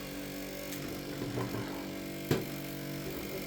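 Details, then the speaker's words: CPU fan in an old PC reporting an AMD Athlon 1000, reading 5,000 RPM at BIOS health status, CPU temperature okay: constant whirring drone holding steady pitch, no grinding or ticking; annoyingly noisy high-speed fan, to be replaced. "So yeah, that noise is super annoying."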